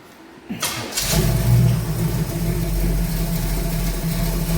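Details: 1969 Pontiac Firebird in for a fuel vacuum issue, with a roughly 25-year-old fuel pump and after sitting a while: cranks briefly, catches cleanly and settles into a steady, even run with a smooth rev, no knocks or misses.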